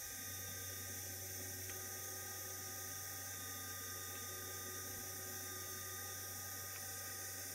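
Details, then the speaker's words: All-original USN ARC-5 command set receiver (1.5–3 Mc, built Feb 1942, a few bad caps re-stuffed) running off its original repaired dynamotor. Steady high-pitched whine over a low mains-like hum, even and unwavering as the dynamotor is loaded; normal dynamotor whine under load. "okay so we're good to go we go we'll have a listen here can tell the Dynam motor is uh getting loaded now"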